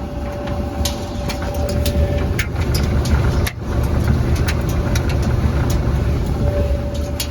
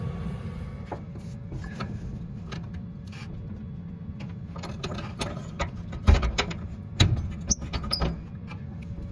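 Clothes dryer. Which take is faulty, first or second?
second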